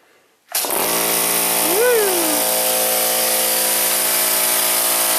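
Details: Harbor Freight air compressor after fitting two film run capacitors in parallel to replace the failed original: motor snaps on and holds a steady hum, no bogging or stalling; runs normally.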